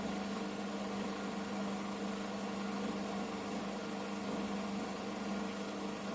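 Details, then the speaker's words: Washing machine loaded with towels on its spin program set to 1000 rpm (its maximum), drain phase at the start: quiet, even low hum with no gurgle or grinding; drain pump working normally. "Все, сейчас идет цикл слив."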